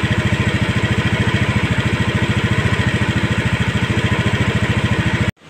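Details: Honda Scoopy automatic scooter after adjusting idle to the standard 1600 rpm needed for the idling stop system to work. Steady, even low putter with no misses or knocks, then switched off; normal idle.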